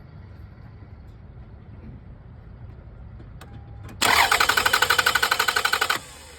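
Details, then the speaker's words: Crank-no-start car being checked for fuel delivery before using starter fluid: about two seconds of quick, even dry cranking that never fires; crank no start, no fuel reaching the engine. "So when I mean dry, it just goes jig, jig, jig, jig, jig. It goes straight to the knot. Jig, jig, jig, jig. You don't hear an explosion."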